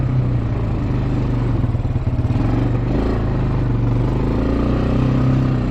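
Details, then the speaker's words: Bayou 220 ATV, sat for 8 years, on a test ride with a helmet camera; the single-cylinder thump pulls cleanly through the gears with even pulses under some wind. All gears work, no bogging. Normal running. "all right guys ran pretty good um all the gears work um no bogging"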